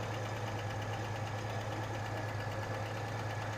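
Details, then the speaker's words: 1986 Chevy S-10 2.8 L, long unused, oil pressure over 70 psi: rough idle with an uneven tick a bit over once a second, in sync with a misfire; suspected rocker fallen off, valvetrain, unconfirmed. "excited sometimes the misfire and that noise seemed to be oddly in sync sounds like a rocker I fell off makes sense"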